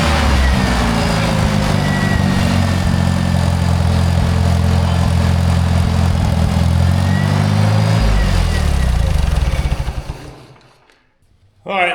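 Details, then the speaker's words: Rare Michigan loader running for the first time in many years, still cold, idles with a steady even rumble and no knocks or stumbles for about ten seconds. It runs beautifully. "BUT MAN, DID YOU HEAR HOW GOOD THIS THING RAN? I can't believe it. I mean, this thing runs like beautifully."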